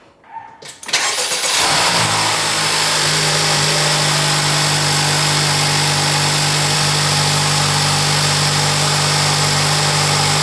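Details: 2024 Acura Integra Type S (FL5) turbo engine with a new Sprint/Spoon air filter replacing the stock one at 200 miles; starts, then a steady strong run with loud intake hiss and throaty hum, louder induction and turbo noises.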